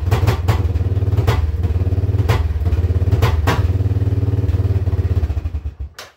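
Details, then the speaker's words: Yamaha Wolverine ATV, battery dead and charged, exhaust full of holes: single-cylinder idle thumps unevenly with heavier stumbles, smoky, then dies; rough idle traced to a bad switch, unplugged to fix. "little sip there an idol and smokey"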